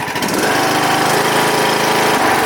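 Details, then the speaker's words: John Deere LA115 lawn tractor after a fresh oil change and repairs, previously backfiring badly, now starts right up and runs with a smooth, even note and no pops or backfires; running perfectly. "It was backfiring like crazy. Now it's just running perfect."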